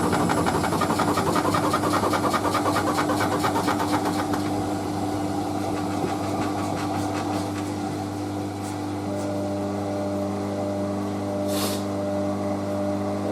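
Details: Hotpoint Casatta WM63 Aquarius 1100 washer on Programme G, 40°C acrylics, with a bulky, uneven load of work clothes: rhythmic thumping about three per second under the motor whine on spin, easing after seconds; worn shock absorbers, replacements ordered.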